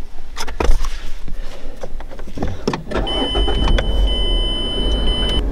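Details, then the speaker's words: 2013 Mazda 3 Skyactiv 2.0 that started then died, after replacing the mass airflow sensor: the engine catches and holds a smooth, low, steady idle with a dash chime, no check-engine light, and runs fine. "right the car runs and there's no there's no check engine light and everything's good"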